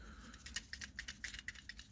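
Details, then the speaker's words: 1998 Chevrolet S10 ZR2 4.3L Vortec with code P0404: new EGR valve shaken by hand, light uneven clicks and rattles as the valve moves freely, unlike the old one, suspected seized or clogged; normal EGR valve movement. "Because the valve, it's moving when you shake it, and the old ones you can't hear it."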